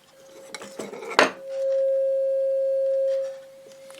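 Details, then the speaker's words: AWA R7077 beat frequency oscillator, circa 1943, under restoration: output transformer fed from an audio generator with a speaker, after a brief clatter gives a clean steady mid-pitch tone, quiet but working; output transformer works. "so that's just been fit into the uh output transformer there nice at least that works cool not very loud but hey you know all right well that's something"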